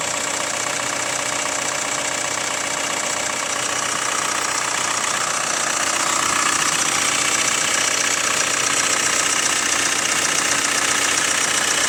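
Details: Hyundai ix35 CRDi 136 hp diesel, cold idle after half a day parked at -1°C: light fast regular clatter, about three taps a second; owner suspects hydraulic lifters or chain tensioner, source uncertain.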